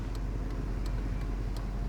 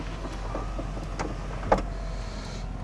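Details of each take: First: 1997 Chevy OBS 1500 pickup just bought, possibly wrecked: sharp, light steady ticks about three per second over low engine rumble; owner says it sounds like a blinker but source unknown. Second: 1997 Chevy OBS 1500 truck, power window: steady motor hum runs smoothly about a second and stops cleanly with no grinding or strain; both windows work normally.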